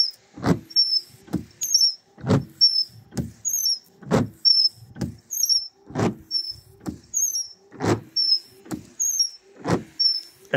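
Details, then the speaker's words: Car windshield wipers on dry glass: every sweep, about one a second, sharp high chirp and stuttering thuds as the blade skips; washer fluid only briefly smooths it; squeak and chatter from bent wiper arm. "If we use washer fluid, they run smoother for a bit, but that's not a permanent solution. As soon as the glass dries a bit, you hear the squeaking and skipping again immediately."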